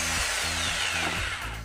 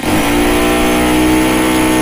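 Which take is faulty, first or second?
first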